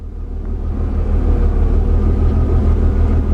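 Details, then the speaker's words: Mercedes W201 190E with a newly fitted central locking/orthopaedic seat vacuum pump (A1248002848), running while inflating the seat backrest. Steady, low, even pulsing hum with no rattle or strain. Normal pump operation. "So I'm going to pump that all the way up. You might hear that actually hissing."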